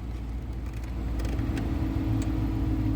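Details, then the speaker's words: 2013 Dodge Charger R/T with new blower motor and blower motor resistor, previously blowing only on high: steady, even fan whoosh with a smooth low hum and no rattle or squeal at speed one. The blower runs properly at low settings. "As you can see, it's on one and the heater is blowing."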